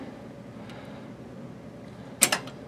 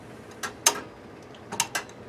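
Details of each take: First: Water pump pressure switch, manual lever reset after low-pressure cutoff: sharp double click as contacts close, completing the circuit so the pump kicks in at 30 psi, set to cut out at 50; normal switch engagement. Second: Well pump pressure switch (set to cut in at 30 psi and out at 50) that failed to kick on at 15 psi, engaged manually by its side lever: sharp dry clicks as the contacts snap closed to energize the pump.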